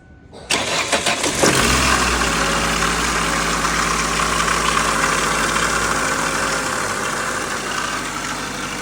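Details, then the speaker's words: 2003 Ford Focus engine noise at start; catches after a brief crank and settles to idle with a steady whirring drone over the firing; worn water pump impeller. "aquí estamos trabajando en este for Focus que tiene un ruido cuando prendemos el"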